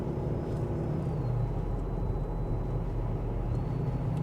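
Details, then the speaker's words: BMW E53 X5 4.8is 4.8 V8 with LPG, in cabin: high whine through speakers rising and falling with engine revs, louder with radio volume; owner suspects aftermarket head unit/signal decoder, unconfirmed. "It really gets on your nerves after a while, and the faster you go, or in fact, not the faster you go, the faster the engine's going, the higher pitched the sound is."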